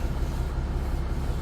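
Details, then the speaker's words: 1982 GMC with 6.2 V8 diesel, after cooling down following sudden part-throttle knocking on the highway: deep, uneven galloping crank; owner suspects low compression somewhere, metal flakes found on the dipstick. "I let it cool down and it cranks with a gallop. So, it's down on comp somewhere."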